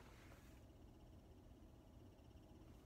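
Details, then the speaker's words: Tesla Model S at about 100K miles, cabin: a faint, light chirping repeats steadily over a low hum, like a small bird; the owner attributes it to the air conditioner, present since purchase, cause undetermined. "it sounds like a little bird chirping but the air conditioner makes this real kind of chirping noise I can put it up here"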